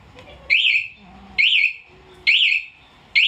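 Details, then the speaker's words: 2020 Honda Beat with newly installed one-way MP alarm: four bright warbling chirps about a second apart, triggered by the remote's bell button to locate the bike in a parking lot. "nah yang terakhir tombol terakhir itu buat nyari di parkiran Mas yang lonceng"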